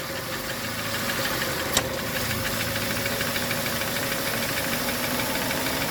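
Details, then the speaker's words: Chevrolet Sonic at about 900 rpm idle, after an AC compressor leak repair with new o-rings and a drier. A single sharp click over a steady idle as the compressor cuts in and out; revs dip to 700-800, cooling is inconsistent, and a mechanic check is advised. "เราเดินเครื่องอยู่ที่ประมาณ900รอบนะคะแต่ว่าถ้าเดินเบานะคะพร้อมจะตัดต่อๆนะคะ"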